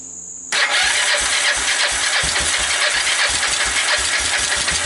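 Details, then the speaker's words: Fire-damaged Kawasaki Bayou 300 single, previously 60 psi compression, started on pure ether starting fluid; catches suddenly then runs ragged and uneven with hiss and rattle; valves seem to seal, owner suspects it is worn out with no compression. "so it starts it runs it moves the valves seem to be sealing enough i think it's just worn out i think it just has no compression"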